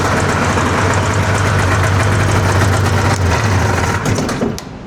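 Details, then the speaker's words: 1981 Arctic Cat El Tigre snowmobile after equalizing the carburetor slides and adjusting the idle: steady, even two-stroke burble holding around 1500 rpm without surging or stumbling, then shut off. Healthy idle. "Seems like she's idling pretty good now. It's right right at around 1500."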